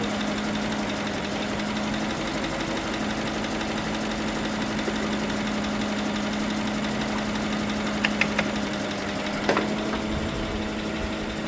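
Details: GMC Sierra 1500 with replacement engine, first start after fogging cylinders with transmission fluid, smoking: even idle with a light fast tick and the odd sharper click; lifter tick suspected, hoped to clear with new oil.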